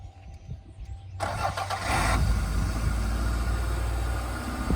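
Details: 1990 Toyota Celica GTS that only clicked with no crank, after replacing the moisture-damaged starter relay: short crank catches cleanly and settles into a steady, even idle; healthy start.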